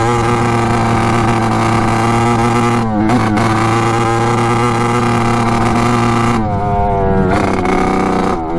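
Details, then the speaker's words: 1986 Kawasaki KX125 two-stroke dirt bike on its first ride: rough, burbly tone, stumbling on throttle with no power and never reaching the power band. A new spark plug didn't help; carburetor main jet suspected. "so still not running right all right so that was no good um the spark plug did not fix our problem"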